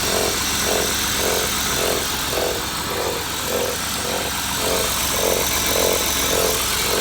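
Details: BMW E39 with M52B20 engine at idle: steady pulsing mid-pitched whirr about twice a second; unwanted noise, source not pinned down, flywheel suspected.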